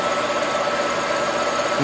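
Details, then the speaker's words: Colchester Master 36x13 gap-bed lathe machining a chainsaw (Farmertec 288) cylinder flange: steady high ringing over machine hum; tool chatter from vibration, easing as the cut moves inward. "see you can hear it friends as you get closer in it doesn't vibrate as much you hear that chatter when you get when you're cutting the flange"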